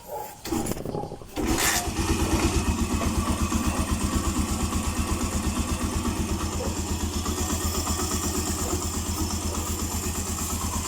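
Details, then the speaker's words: Suzuki Mola motorcycle (stated as 125 and as 150) idling after the head cover was removed and the timing chain replaced; tensioner kept original. It previously ticked once warm. Now the small single-cylinder engine starts and settles into a steady, even idle with the ticking gone. "So ayos na mga ka-OT. Tumahik nga ung lagitiki. Nalagitik eh. A nawala."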